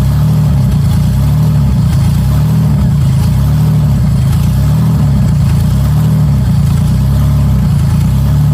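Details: 1994 Cavalier 5-speed, built 3400 V6 with strip cam and open exhaust dumping down, oil pressure checked by transducer: loud deep open-pipe idle with slow lope, steady, no knocks or rattles; healthy.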